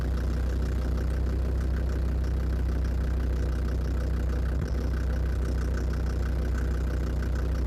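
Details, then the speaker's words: Land Rover Defender Td5 diesel idling after radiator work, mic near the snorkel: faint quick tick about three per second over deep idle, not going away with warm-up; suspected hydraulic lifters or exhaust manifold, unconfirmed. "я думал с прогревом он пройдет похожего не проходит"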